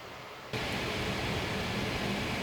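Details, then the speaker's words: AMD Radeon VII graphics card under test at 74°C: a steady, airy rush with a faint low hum that holds at one speed; the cooler fans are running noticeably loud. "Ce bruit de ventilateur au cours des dernières années Cela fait longtemps que je ne l'ai pas entendu."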